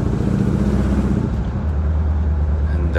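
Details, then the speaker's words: 1963 Impala SS V8 after the plugs were gapped to .035 and timing set just above the mark. The rear plugs had been running rich and dark before. It now has a deep, even rumble with no backfiring or misfire and runs smoothly. "the timing I just set it just a little bit above the mark not a whole lot right and it just it sounds good and it's not not backfiring or anything which I'm glad that's what I'm trying to shoot for"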